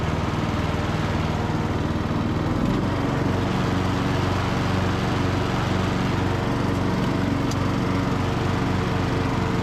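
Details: Briggs and Stratton–powered Craftsman DLT3000 riding mower mowing on test drive: steady single-cylinder thump with deck whirring, speed holding even under load; engine and spindles healthy, deck engagement cable sticking.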